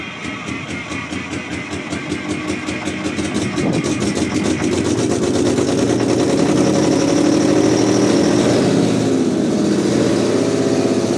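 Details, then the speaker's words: Terex 82-20 bulldozer diesel, sat 30 years, with a stuck steering lever and broken coolant line: climbs from a slow chug to a strong, steady, even run; engine sounds healthy. "Whoa. Look at that. Boy, that engine sounds good."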